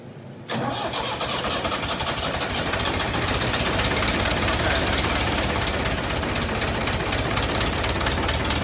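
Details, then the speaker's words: Diesel tractor abandoned three years, after fuel line and pump work with fuel reaching three of four injectors: cranks, catches within a second and settles into steady even clatter; runs normally after start. "yeah yeah all right we're almost there okay turn over it sounds way better"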